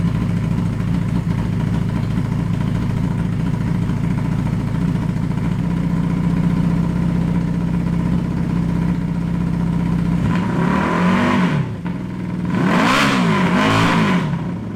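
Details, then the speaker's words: 1982 Honda Nighthawk CB650SC four-cylinder after replacing carburetors, both coils and plug wires, first start: a lumpy, stumbling idle, then throttle blips as it smooths to four cylinders; misfire at startup, owner assumes unburnt fuel. "misfired a bunch when I first started it but I had also been running it without the inside two cylinders firing so I'm assuming there's just a bunch of unburnt fuel in there"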